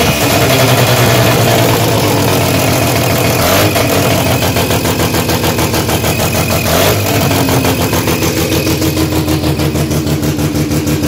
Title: Sirota shed tr8ta rx3 has a exhaust leak